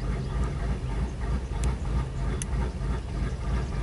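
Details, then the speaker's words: 1999 Ford F250 XLT Super Duty, 5.4L Triton V8 (farm truck) with a rough, surging idle and hard starting in cool damp weather; check engine light off and no codes stored. Low, uneven chugging with a lumpy beat about three per second and dips: rough idle. "oh yeah it's chugging here how it sounds not the smoothest idle I've heard"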